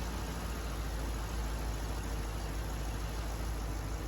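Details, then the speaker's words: 2013 Chevy Caprice PPV with a 6.0L V8, just revived: a low, steady idle rumble with an even beat and no ticks, knocks or stumbles. It idles smoothly and normally. "i don't smell anything untoward in the exhaust i don't hear any weird noises or bumps or knocks ladies and gentlemen that car is running it's idling"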